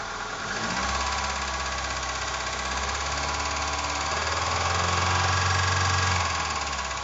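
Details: Opel C20XE engine: a steady knock about four per second over the idle that persists through the rev; engine knock, cause unknown.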